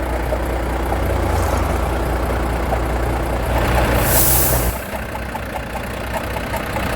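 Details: Volvo FH13 truck engine at idle: steady light regular tapping and grinding knock from the valve cover area, air hiss midway.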